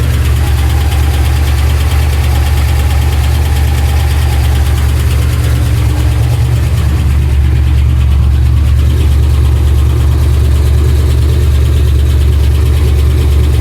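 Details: Trans Am at idle, oil pressure erratic: heavy low idle with a dull, uneven knock about three per second deep in the engine; earlier ticking turned deeper, heard all around the engine, owner suspects crank, not confirmed.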